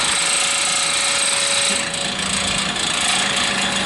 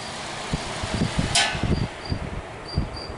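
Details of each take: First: Vintage hassock fan with new replacement motor, first run after rewiring: steady motor hum with fast uneven buzzing rattle as the shaft rubs the top support bracket; fix is bending the bracket. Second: Vintage hassock fan fitted with new motor, shaft rubbing on upper support noted: fan coasts down with soft uneven whooshes, no rubbing or scraping heard; spins freely, normal spin-down.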